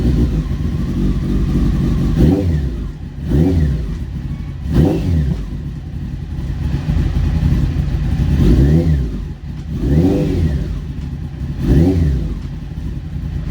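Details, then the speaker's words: Honda CBR900 streetfighter after a wiring fix, started cold and warming up: deep engine blips rise and fall every second or two, each clean and crisp with no misfire. Healthy revving. "let's start it up it's a bit cold so uh yeah let it warm up a little bit but look at the revs"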